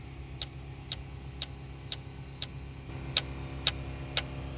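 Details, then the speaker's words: 2004 Dodge Grand Caravan 3.3, no-start setting crank sensor code P0320 even after crank sensor replacement: crisp ticking about twice a second as fuel pump/ASD relay clicks, engine not running; cam sensor later suspected as real culprit. "That ticking noise. That right there is a fuel pump relay. That's clicking. That there is the ASD relay. It's clicking. Never experienced that before."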